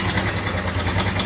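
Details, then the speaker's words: Honda Revo motorcycle at idle, complaint of rough engine noise: steady idle with a fast light sewing-machine clatter that disappears when revved; cam chain rattle. "mesinnya kasar ini Lur kayak mesin jahit lo"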